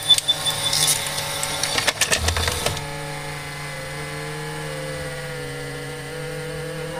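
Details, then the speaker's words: Panasonic HD100 VCR after fixing tape loading: clunks of a tape loading smoothly, then a steady high whir with wavering tone from the spinning head drum; abnormal head drum noise. "再次试机，进带很顺畅。那么问题又来了，可以听到齿骨有异响。"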